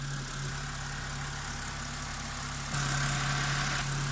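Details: BMW 5 Series inline-six after engine flush for sludge and new valve cover gasket: steady, even idle hum holding pitch, no knocking or ticking; normal idle.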